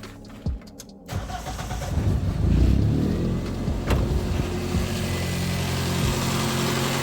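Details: Wrecked Toyota Corolla with high idle after replacing the intake air pipe: engine holds a steady, even idle noticeably higher than normal, no hunting; no change from the new pipe, owner suspects throttle body sensor; car also overheating, coolant not circulating, water pump suspected.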